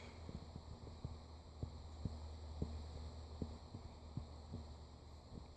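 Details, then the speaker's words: New cheap HD Supply ceiling fan running on medium with low hum, irregular soft ticks and faint scratchy rustle from bearing noise already present. "it's got a little bit of a hum you can already hear the bearing noise medium in here now for sure"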